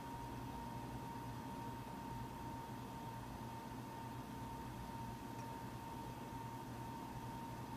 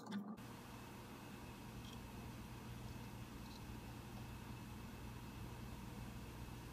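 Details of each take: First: Mac Pro 1,1/2,1 running Geekbench 3 benchmark, 8GB DIMMs tested at 32GB and 48GB: rushing airflow with thin steady tone near 1 kHz over low hum; fans ramp up under load; loud cooling fans under load. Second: Mac Pro 1,1/2,1 idling with 32 GB RAM before a Geekbench 3 run, second camera pointed at the machine: soft steady fan whoosh with faint low hum, no rattle or surging; cooling fans idling normally.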